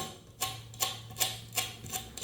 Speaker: You can hear those bearings. Absolute garbage. So we're going to replace these two wheels here.